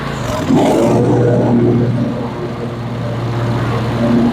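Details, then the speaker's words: Cub Cadet 54-inch mower, 24 HP Kohler twin, after ignition coil module replacement: picks up smartly then holds strong even drone, no stumbling; previously bogged badly on PTO engagement. Fixed, normal running. "Well, there you have it, folks. She's fixed. Runs great, as you can see."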